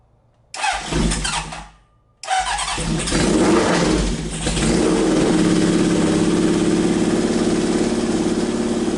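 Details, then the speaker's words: Neglected Honda CB750 inline-four first start after revival, on choke, oil slightly overfilled and leaking from overflow when revved: cranks, catches, blips up cleanly, then settles to a steady, even idle with no misses; normal running. "but hey better to have too much oil than not enough but dang dude the thing runs pretty darn"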